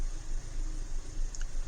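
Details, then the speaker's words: 2012 Hyundai Elantra with P0301–P0303 misfire codes, AC off and not fully warmed up. It has a low, lumpy, pulsing idle with the tach jumping, a pronounced misfire, during a cylinder power balance test. "I don't know if you can hear that on camera, but look at the tach here. You see it jumping around. That's that very pronounced fish bite misfire."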